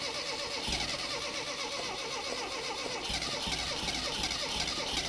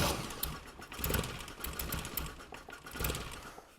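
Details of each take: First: 1975 Mini Clubman estate with an engine stored 12 years, points doubtful, petrol poured in: uneven cranking catches into a few ragged firing bursts, then dies; it won't keep running, possibly fuel-starved. Cause suspected, not confirmed. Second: 1975 Mini Clubman estate with an engine that had sat for 12 years, firing order set to 1-3-4-2 and the fuel pump just reviving: uneven cranking with brief catches and firing bursts that fade; the engine is starting to catch.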